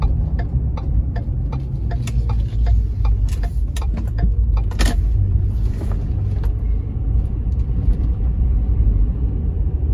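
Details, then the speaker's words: 2010 Ford F-150 4x4 after replacing a loose front stabilizer bar link, driven over the same bumps: steady road rumble and tyre noise with no front-end clunks; suspension now quiet. "those bumps that i hit earlier did not make any unusual clunking noises in the front end"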